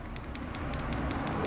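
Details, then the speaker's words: ABS hydraulic unit solenoid bench-pulsed from a battery: sharp, even clicks about five or six per second, crisp and consistent; this solenoid valve is working normally. "Tá ouvindo o barulho? Ó, então essa agulha, esse solenoide está bom."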